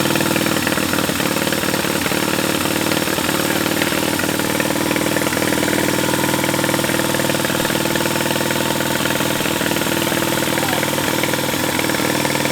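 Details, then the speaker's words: Large military-surplus twin-cylinder engine, running after a critter's nest was blown out of the intake port: steady, even idle with a firm regular beat, no misses, knocks or smoke; sounds good. "Yeah, man. Sounds good. >> Sounds real good."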